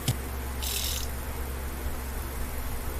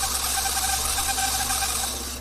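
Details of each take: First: TAMPO CRV-709A language learning machine, disc spindle after motor turntable repair and lowering the height so it no longer sticks: soft even whir with a light hiss, no scraping; now quiet. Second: TAMPO CRV-709A language learning machine turntable (spindle) motor, tested directly: small motor whirs with a wavering, pulsing hum, not running smoothly while the laser head motor is normal; rough spindle motor, to be replaced.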